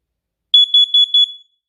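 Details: First Alert carbon monoxide alarm tested after battery replacement: four loud, high-pitched pulsed chirps on the test button press; alarm sounding and working normally.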